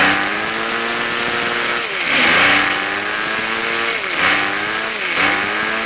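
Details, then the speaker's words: Two-year-old gas two-stroke weed eater, left sitting all winter on old fuel, started after priming and about five pulls: sharp buzz rising and dropping cleanly with each throttle blip. Engine healthy. "there we go well they both started so I'll start the yard work in a couple of minutes"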